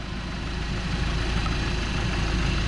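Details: Volkswagen Golf with a fitted secondhand engine, first start, warming toward thermostat opening with coolant level rising; steady low smooth even idle hum with no knocks or misses: normal idle.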